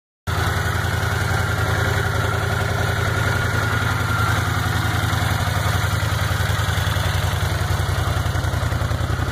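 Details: 1979 Honda CX500 V-twin, first start after carburetor rebuild, radiator fan replaced, water pump seal and most of transmission replaced: even, brisk idle with steady pulses, no knocking; idle sits high because it hasn't been adjusted since the carb rebuild; valves later found slightly loose.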